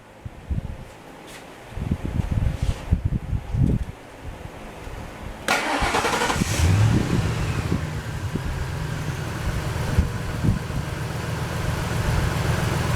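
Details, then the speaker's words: 1998 Ford F150 XLT 4.6 V8, 160,000 miles, started right after oil change with 5W-30: smooth even idle with good oil pressure and quiet cam phasers, no top-end ticking; normal idle. "all right showing good oil pressure and like i say those cam phasers they just uh they're just as quiet as can be with that 5w30"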